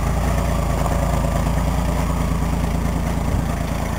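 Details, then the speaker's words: Cheap truck idling at first start after fitting the new muffler, before the tailpipe is added: an even, low, muted rumble with no rasp or leaks, much quieter than before; normal exhaust note. "oh yeah I forgot you can obviously hear the difference now it's much more quiet in here now so"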